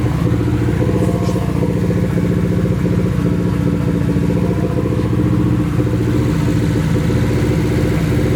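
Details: Nissan 240 with a newly installed SR20, at its first start. It runs through an open downpipe. The exhaust beat is uneven and stumbling, with choppy skipped pulses. Misfire; owner suspects bad gas, but the cause is unconfirmed.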